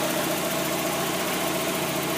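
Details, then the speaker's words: 1992 Mazda Miata idling after replacing the water thermistor (code 9, previously rough idle and stalling): smooth, steady idle with no dips or misses and an unmoving rpm gauge. The engine now runs stable and healthy. "it steady the gauge isn't even moving at all and the motor just sounds really stable"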